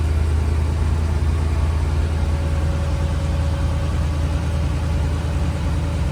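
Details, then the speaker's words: 1964 IH Travelall C1100 with Holley Sniper, idle raised to 750 rpm: steady even low rumble, no knocks, misses or hunting; healthy idle. "So, I did increase the idle a little bit. So now we are at 750."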